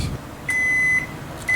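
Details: Microwave oven after its faulty upper door latch switch was replaced, heating a test cup of water for 30 seconds: steady high beep over the low hum, a pause, a second beep. Normal end-of-cycle signal; the water heated, so the repair worked.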